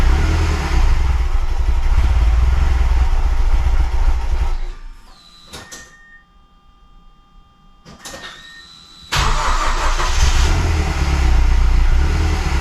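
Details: Mazdaspeed6 engine, freshly rebuilt with honed cylinders, on first start after setting the CPS between the 20th and 21st harmonic balancer teeth: it roars loud and steady, dips briefly, then pulls back strong and even. It sounds healthy.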